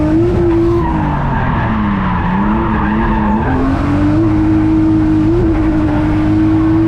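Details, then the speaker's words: Hot Nissan R33 at a drift event: held high in the revs with tyres squealing, the note wavers and runs uneven and down on power. Misfire under load, cause not yet found. "Sounds like misfire. Yeah, I hear that. It is hot. The car is hot. The car is misfiring. It's down on power."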